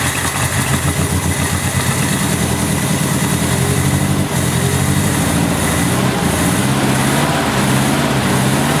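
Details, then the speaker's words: 1970 Opel GT barn find, first start in about 30 years after a carburetor change: loud low idle with an uneven, wavering, stumbling beat, barely holding. Rough idle; owner suspects bad plugs (receipt from 1986) and points needing cleaning. "hey it's running it's rough it was idling though it is rough"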